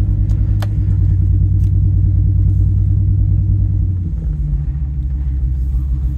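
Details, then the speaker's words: 2002 Ford Excursion V10 running on nine cylinders: low, lumpy drone with uneven stumble, worst under load, smoother cruising on cruise control; misfire codes, cylinder 6 misfire followed swapped ignition coil, failed coil confirmed, replacement ordered. "basically it's when it's underload um that's when it really starts to misfire if it's just kind of cruising Along on cruise control"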